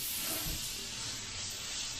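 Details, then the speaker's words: Airbrush with 0.3 needle/nozzle at 25 psi spraying thinned Sagudio acrylic: steady even airy hiss with no sputter or pulsing, clean spray; normal spraying. "So you can get away with that in the 0.3."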